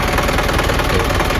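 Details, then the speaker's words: Isuzu 4HG diesel (Elf truck) after overhaul and fixing oil leaks: a steady, even idle clatter with no odd knocks or misses. Sounds like a healthy conventional diesel. "Suaranya juga oke khas diesel konvensional ya."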